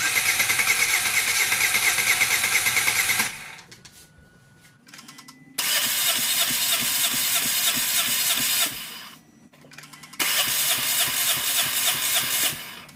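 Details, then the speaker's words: Dodge Caliber with P0300/P0301 misfire codes cranking through a compression test in three roughly 3-second bursts, chugging about three beats per second without firing; readings of 115, 175, 165 and 145 psi, with cylinders 1 and 4 below minimum. "These two right here are really low. Actually, all of them are way below, but the 1 and 4 are below minimum. So that's not good at all."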